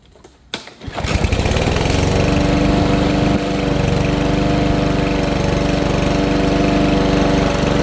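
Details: Troy-Bilt TB320 rear-wheel-drive push mower, Briggs & Stratton 625EX 150cc, after tune-up with new air filter and Champion RC12YC spark plug for bogging and dying under load: catches quickly, smooth even run, no misses or surging, running much better.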